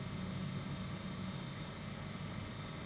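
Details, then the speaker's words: Generic cheap cordless electric pen sander/mini drill, compared against a Dspiae hobby sander: small motor buzzes with a coarse, uneven hum and faint rattle rather than a clean whir; sounds crude, cause unclear. "Let's see if this one has power. This one has power. This also sounds very crude."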